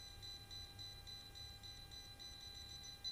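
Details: Well water pump not running, suspected broken cable, checked with a non-contact voltage tester: high, thin beeps repeat in a quick steady pattern over quiet background; tester detects the live phase wire.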